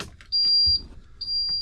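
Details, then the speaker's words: Fire-damaged cabover truck rebuilt with a Series 60 engine, key on with the engine off: two long, high-pitched buzzer tones of about half a second each, the low air pressure and low coolant warnings, with the check engine and stop engine lights on. "Got all my lights. Low air. Check engine. Low water. Stop engine light."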